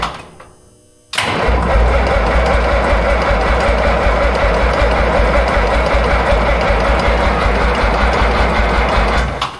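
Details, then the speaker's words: Minneapolis Moline A4T 1600 tractor after winter project, new fuel filter, priming with a 12 V supply pump: slow even cranking for about eight seconds, never catches, starter tiring; batteries need charging, injection pump wiring later questioned. "So now I'm holding it to prime. He's going to crank it over."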